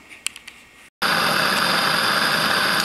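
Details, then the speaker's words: Saito T2DR steam engine with B2F boiler, burner preheated with stove alcohol: a light click, then a steady, even hiss-roar of flame turned well down, preheating the boiler. Normal burner operation. "okay as you can hear I've got the burner ignited and we're going to start preheating the boiler and raising steam it'll take a few minutes got the burner turned down quite a bit"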